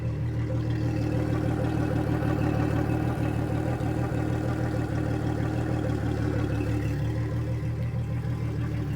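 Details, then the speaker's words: 2003 Yamaha 225 four-stroke outboard with low compression on two cylinders, first start on a flushing hose after a fuel-system flush, slight miss at start-up: steady, even hum at about three pulses a second; normal idle. "Sounds pretty good actually. Other than that little miss when we went to fire it up or we went to give it a little throttle."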